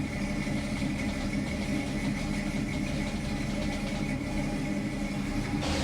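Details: 1966 Ford Mustang, newly installed Lares power steering pump, running at idle: steady even idle with a faint constant whine, pump turning smoothly with no groan or squeal.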